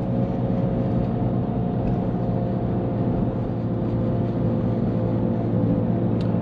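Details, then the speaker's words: Subaru Liberty Spec B cruising: faint steady whine over road rumble, following road speed not revs, not clutch; owner suspects driveshafts or alignment, front right wheel buckled with flat spot; source not yet found. "the wine is like speed really related it's not rev related so might used to coil livers"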